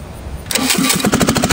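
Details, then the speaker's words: Willys L-134 engine adapted as an engine/air compressor, run with no exhaust fitted, no choke and the governor bringing it to about 1800 rpm. A loud open-pipe bark with slightly uneven firing; it runs rough and still needs tuning. "it'll bring the speed up to about uh 1800 rpm or so but there's no exhaust so it's going to be noisy see no choke either so it might not run real well"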